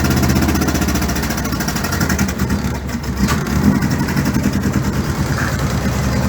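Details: 1962 Land Rover Series 2a 109 LWB during rebuild, running with no exhaust and no air filter: rough uneven idle with sharp ticking chuff over exhaust beat; exhaust manifold leaking, not torqued correctly, and vacuum advance spring on distributor found broken.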